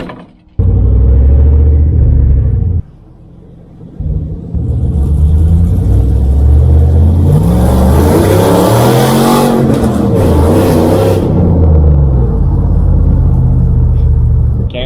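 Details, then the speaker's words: Dodge RAM truck with a cheap eBay intake just installed, on a drive: a deep, heavy low rumble that swells as the truck pulls and drowns out the intake noise; the exhaust itself is very loud and droning. "I'll go for a drive see if we can cure the intake noise at all but I mean the exhaust is so goddamn loud anyway"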